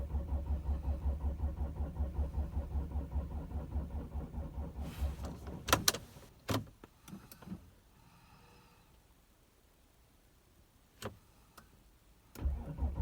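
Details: 2006 Audi A6 4F 2.7 TDI quattro diesel, cold: starter turns the engine steadily at about two and a half compressions a second for five seconds but it never catches; cranking no-start.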